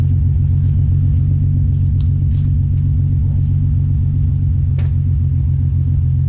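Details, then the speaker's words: Nissan 300ZX first start after sitting over winter, oil primed by cranking with CAS disconnected: deep steady exhaust rumble with loose, slightly uneven pulse; owner suspects carbon buildup. "let's listen to you guys listen to the wonderful 300 ZX exhaust sound yeah she's got a low carb build up"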